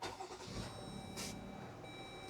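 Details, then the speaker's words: 2021 Chrysler Pacifica in limp mode with P0108 MAP sensor code and throttle/stability control warnings, restarted after IAT and MAP sensor cleaning: engine settles into an uneven, lumpy idle with wavering note; rough idle from faulty MAP sensor, later replaced. "So, a little bit of a rough idle there."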